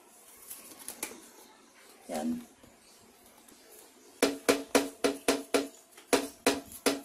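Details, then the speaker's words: Stabilizer bar shaken by hand: quick bursts of sharp knocks, about four a second, from play in the bushing; worn stabilizer bar bushings, a cheap part behind hard-to-find suspension clunks, fixed by adding a shim inside. "so mga paps ito posible kapag nakakarinig kayo ng kalampag Tapos nasimot niyo na lahat i-check niyo rin yang ano yung bar bushing"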